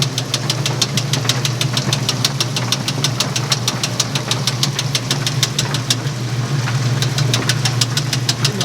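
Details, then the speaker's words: Speed Queen top-load laundromat washer in spin cycle: sharp regular ticking about two per second, steady throughout; idler pulley moving back and forth, believed bent, with the drive belt going bad. "Now it's already started in the spin cycle and it's making a ticking noise. So we need to find out why it's making a ticking noise. That's part of the problem. Moving back and forth is your idler."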